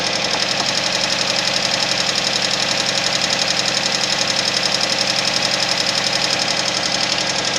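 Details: Suzuki Vitara engine at cold idle with a sharp, regular ticking knock about 136 a minute, steady throughout; cold-start engine knock, cause unconfirmed.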